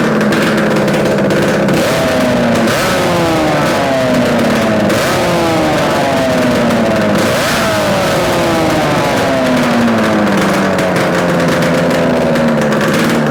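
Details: Yamaha RD250 two-stroke twin on a test-stand mount with total-loss ignition, running after coil wire swap and carb adjustments; crisp buzz rising and falling cleanly with throttle blips, no rattles or misfires; running normally, likely a good engine.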